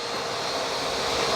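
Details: Bissell Powerforce Helix Turbo Rewind 1797 under refurbishment, running with a borrowed accessory part: steady even high-pitched motor rush, no wavering or rattles; pulling strongly, healthy.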